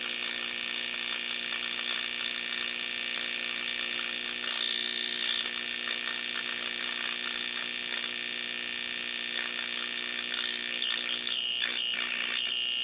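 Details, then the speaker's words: 1934 Grunow 501 transformerless radio, tubes 78, 6F7, 75, 43, 25Z5, at 100 V: high whistles and garbled hiss with ghost stations, weak and badly distorted; a full recap is planned. "doesn't go very loud what that tells me is that it is picking up signal it is processing signal although it's distorting the living daylights out of it it it is it does have audio and so we're okay there"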